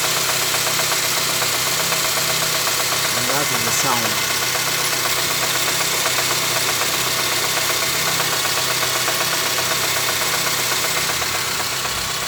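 Regular tapping about four times a second over a hissy idle; knocking from the engine, source not identified.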